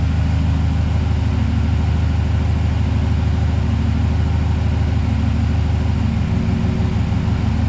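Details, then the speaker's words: High-mileage 2008 Silverado V8 after an AFM/DOD delete kit to fix a bad lifter tick, with 10W-30 flush oil: steady, even low idle rumble with no tick or tap. "Everything looks good. It's running good."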